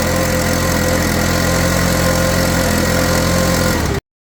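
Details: Stihl BR600 two-stroke backpack blower that would not crank, after carburetor replacement: steady, even buzz with no misses or surging, then shuts off cleanly; runs normally.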